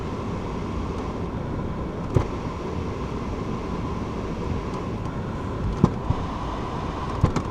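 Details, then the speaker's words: Ford Fiesta Edge heater blower running through all the vents after a complete dashboard swap following a crash; a steady airy rush with a faint even hum and no rattle or squeal. Normal heater blower operation. "All the air vents. Yep, that sounds fine."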